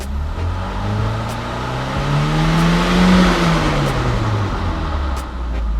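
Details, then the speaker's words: Ford Focus RS after Xtreme DI high-pressure fuel pump install, first start before dyno tuning: one rev blip then smooth steady idle; short-term fuel trims near zero, appropriate AFRs. "Well, my short-term fuel trims are pretty close to zero. It's idling smoothly, appropriate AFRs."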